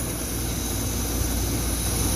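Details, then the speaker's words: Waste-oil shop furnace (Clean Burn, older model): the 3000 cfm rear blower is manually overridden on, blowing tepid air of about 140 degrees; a steady, even rush of air with a low rumble and no knocks or rattles, which is normal blower operation. "there's a big fan in the back of the unit here a 3000 cfm fan and when it gets to a certain temperature it'll start blowing heat out these vents"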